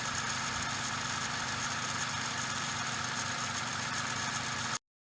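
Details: Suzuki Every DA64V engine at idle: a steady hissing, rushing "shaa/jaa" whir with a low rumble, caused by the belt tensioner bearing.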